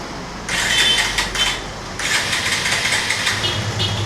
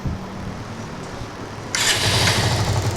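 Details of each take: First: Bajaj Avenger 150 with intermittent low electrical power, after installing a new CDI coil (power coil tested fine): two short cranking bursts, then engine catches and runs with even crisp beat; starts cleanly. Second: Bajaj Avenger 150 with a power problem: starter spins at a steady churn, then a louder hiss, but it never catches; no spark, the power coil tests fine and the CDI unit is bad and being replaced.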